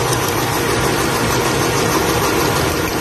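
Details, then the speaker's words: Toyota Vitz petrol engine vibrating and jerking when put into drive or reverse: rough, uneven idle with irregular stumble; coil check found no spark at cylinder 3, oil on the spark plug, so the number 3 ignition coil is faulty. "Okay so nakita natin yung problema guys nga ang problema talaga is independent coil ng number three o yung kanyang cdi na set assembly"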